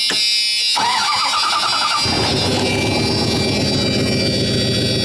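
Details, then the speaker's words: 1997 Dodge Ram 1500 club cab, revived after sitting and low on gasoline: brief whirring crank of about a second, then it fires and settles into a steady, even run. Starts easily. "She's starting up."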